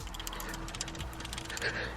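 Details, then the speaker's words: Mazda 3 manual shifter, original knob, before a JDM bubble shift knob is fitted: sharp clicks and a ratchety rattle each time the lever moves through the gate. A noisy shifter, cause not identified. "we're actually replacing it because this shifter when you shift actually I'll show you what happens when you shift look listen to this you hear that while doing multiple shifts with that is really annoying guys"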